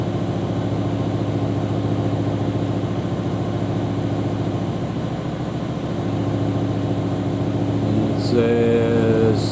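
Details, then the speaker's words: BMW E60/E63 M5/M6 V10 idle with an uneven, lumpy pulse and missing beats; codes show cylinder 9 misfire and possibly cylinder 2, the cylinder 9 ignition coil found failed. "cylinder two misfire that's it all right so looks like we've got a misfire on cylinder two and cylinder nine possibly"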